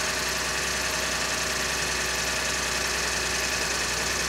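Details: 2011 Ford EcoBoost truck, morning cold start in January after timing chain replacement and fuel-in-oil TSB; busy metallic rattle over steady idle persists, owner suspects timing chain rattle, not confirmed.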